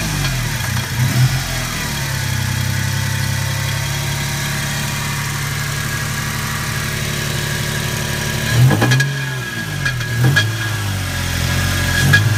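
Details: Toyota Tacoma 3.4 V6 at idle with a few throttle blips: faint dull tapping under the idle; possible engine knock, unconfirmed.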